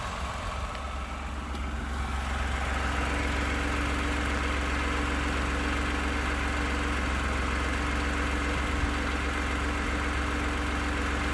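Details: 29K-mile 2018 Ford F-150, 2nd-gen 3.5 EcoBoost V6, at idle: a fairly even light tapping about twice a second over the engine hum. The owner cranks longer on purpose to prevent cam phaser startup rattle. Engine knocking at idle, cause not pinned down.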